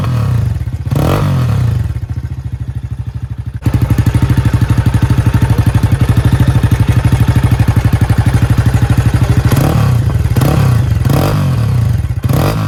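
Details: Low-mileage Jawa 42 with bend pipes running straight from engine to exhaust: single-cylinder idle with loose metallic clatter on every firing pulse, about three per second; major engine noise, cause not pinned down.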